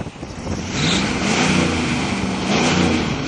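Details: 1984 Camaro 305 V8, first start after 5 years on stale original gas: catches and settles, throttle blipped a couple of times, revs rise and fall cleanly with no knocks; runs fine.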